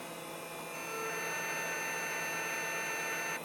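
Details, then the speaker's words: SparQ removable disk drive in a Pentium Pro PC: soft whirring and steady high whine as the cartridge spins up for about three seconds, then a click; normal loading. "spark drive is welding that's the sound of it loading so I just need to install that I guess"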